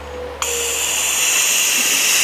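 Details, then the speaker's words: 1987 Johnson 6 hp outboard with bogging problem: air blown through the carburetor jet passes much easier, a steady, clean airy hiss with no sputter or flutter; jet passage clear. "oh it's much easier and it's a cleaner sound it's like"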